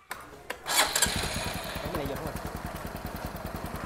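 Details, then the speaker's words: Motorbike with a rebuilt engine that kept only the original ignition starts first try and settles into a crisp, even putter of about three beats a second; sounds healthy, normal start. "Máy nổ nghe giòn quá giòn"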